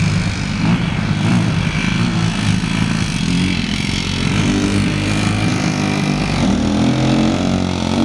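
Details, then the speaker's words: Honda CRF150R four-stroke after a head rebuild for a broken valve: uneven, clanky, stumbling running that won't settle into an idle. The owners suspect the auto decompression is staying open when it shouldn't and may need adjusting; the carb also needs cleaning; unconfirmed. "It sounds really clanky. It's the auto decompression. That's what it is. No, but it shouldn't stay open like that."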